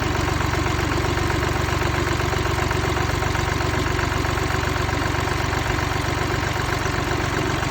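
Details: Mini Cooper D three-cylinder diesel idling with an uneven, chattering rattle from a worn, broken dual mass flywheel, which carries the clutch springs; symptoms also include hissing and juddering after lifting the clutch.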